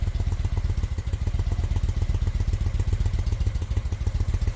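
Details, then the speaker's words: 2000 Honda Shadow ACE 750, coils checked, temporary bottle fuel tank with small line, starter fluid, choke out: uneven lumpy firing about four beats a second, stumbling; owner suspects fuel starvation through the small fuel line. "So, it's probably having some trouble getting gas in there, but we're in good shape. She turns over."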